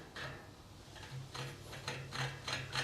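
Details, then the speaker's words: Bicycle rear hub axle turned by hand gives a gritty, rasping crunch in uneven bursts; rough bearings needing regreasing. "This is so crunchy. Let's feel these bearings."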